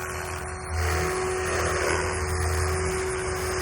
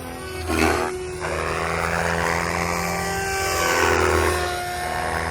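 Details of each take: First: Protos 380 Evo V2 RC helicopter with RotorTech 385mm Ultimate main blades during nose-in rolls: only a steady motor hum with a thin constant tone, blades almost inaudible; normal quiet main rotor blades. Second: MSH Protos 380 Evo V2 helicopter with RotorTech 385mm Ultimate blades at 80% headspeed: steady rotor drone with wavering high tone rising and falling; pilot suspects a bad tail bearing.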